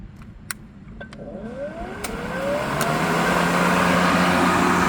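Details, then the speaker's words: Ryobi 40V HP RY401170 brushless 20-inch cordless push mower with 6.0 Ah battery, started with lever and start button: motor spins up with a rising whir into a quiet, even hum; normal start-up and run. "And it's pretty quiet. I think you can hear me. So up until now I have only gas mower, so see how this one will go."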